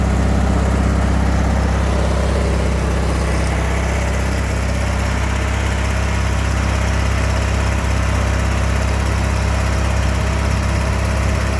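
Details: John Deere LX176 lawn tractor after repairs, running and driving without the belt slipping; steady even single-cylinder drone at constant speed, no squeal or misses: normal running.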